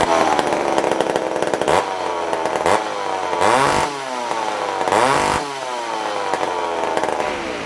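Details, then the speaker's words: Old vintage McCulloch two-stroke chainsaw, started on a rainy day after sitting on the shelf: it revs up in several bursts, then drops to a burbling, uneven idle; the carburetor is tuned slightly rich. "But see, this one's tuned a little rich, where the other one was tuned a little lean, which means this one was probably ran last in the winter."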